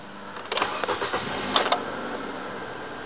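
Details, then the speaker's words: 2008 Nissan Versa sedan after replacing the fuel pressure regulator, restarted after sitting half an hour: brief crank, a few quick catches, then a steady, even idle; starts cleanly, far better than before the repair. "if you remember uh in the beginning what I showed you how it used to sound and how it sounds now obviously it's a lot better now"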